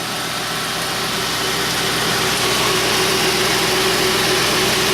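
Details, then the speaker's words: 2002 Mercury with about 120,153 miles, hood open: smooth even idle, steady low hum, no knocks or misses; runs really well, normal idle. "But I mean, yeah, that thing, man, it runs really well. I knew it ran good."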